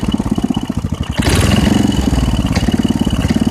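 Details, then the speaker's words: 1989 Briggs & Stratton 5 hp, 13 cu in, 6:1 gear reduction, revived after years sitting, no air filter fitted and needing choke: single-cylinder chugging at a slow, uneven beat, idling below proper speed. The rpm needs raising. "okay so um it sounds like it's a little bit it's running a little bit slower than uh it should be so i'm gonna have to speed up the rpm just a bit"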